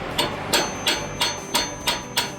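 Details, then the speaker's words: Hydraulic valve lifter removed from a noisy engine, hand hammer-tap test with a ball-tipped rod: sharp, solid metallic taps with no cushioning, like hitting rock, unlike a good lifter whose spring absorbs the tap; plunger stuck. "the sound difference it's like hitting a rock no movement"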